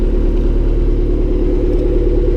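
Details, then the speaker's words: Honda Civic D16Y7 turbo (T3 top mount, 550cc injectors), cold start the day after spinning a bearing shell: low rough idle with a dull, regular knock under the exhaust rumble; spun rod bearing, no oil light, engine finished. "So a day after I spun a shell, figured better give it a start, see what it sounds like today."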